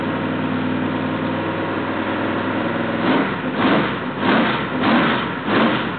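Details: Rebuilt L88 427 Chevy big-block, hydraulic roller cam, 9.6:1 aluminum heads for 91-octane pump gas, timing set at 36°: steady, even idle, several clean throttle blips dropping back smoothly; healthy, sounds like an original L88.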